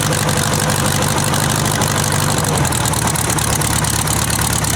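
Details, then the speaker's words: Buggy woken from winter storage, after cleaning the spark plugs and setting the points: steady, low, slightly loping chugging idle with no odd knocks or misses; running healthy. "have much of a difference that means oh baby that sounds pretty good"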